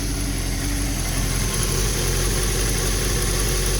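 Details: Honda N600 small twin on motorcycle carburetors, rebuilt with new gaskets, floats, screens, needles and seats, plus a return-type Mallory fuel pressure regulator: fast, steady, buzzy idle with no stumbles or hunting. Clean, healthy carburetion.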